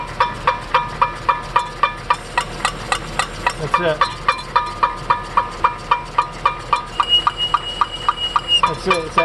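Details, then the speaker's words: 2005 Cadillac STS after new front shocks, lower control arms and a passenger-side axle, heard on a road test; a light metallic scrape ticking about four times a second with wheel rotation. A small front brake heat shield rubbing the rotor, fixed by bending it away and removing rust. "shield right behind right behind there it's a tiny heat shield the rest of it doesn't have one but that's all it is"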